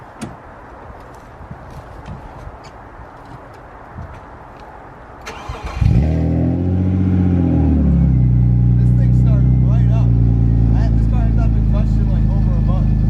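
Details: BMW E36 328i with crushed 3-inch exhaust and no catalytic converters, before stock exhaust install: short crank then loud, deep, rough drone swelling with revs; loud exhaust from crushed pipe and missing cats.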